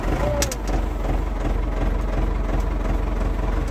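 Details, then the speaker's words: Ford 6610 Force II diesel tractor after fitting a geared high-torque starter, about 9 °C: cranks over and fires at once, firm even low chugging without misfire; normal start. "It's a joy sitting into this thing and know that it's going to crank over and just fire it up."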